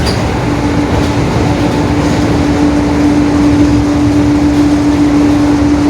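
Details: 2021 Marcopolo Torino S bus on a Mercedes-Benz OF-1721 BlueTec 5 diesel chassis, cruising on an urban route: steady mid-pitched hum over the diesel and road noise; differential whine (roaring differential).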